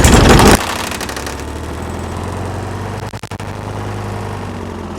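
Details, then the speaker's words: Broken-recoil mower engine rope-started from the top on starter fluid to test the coil: short loud burst of rapid firing, then a ragged low rumble as it runs down; it fires, so there is spark. "it does fire up it does cut cardboard so uh"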